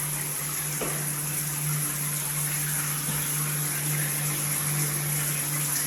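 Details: Multifunction shower system with poor overall flow: a steady low hum under rushing water, with slight vibration at the shower valve when the body jet function is used; cause not evident.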